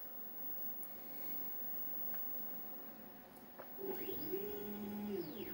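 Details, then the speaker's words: Redvision X-series PTZ CCTV camera after datum self-check, swinging quickly to preset 3: quiet then smooth rising and falling motor whine, no grinding or clicking; normal pan/tilt movement. "and it goes to preset free that won't go off at the bottom in a minute it's checked itself and decided to go to preset free now for"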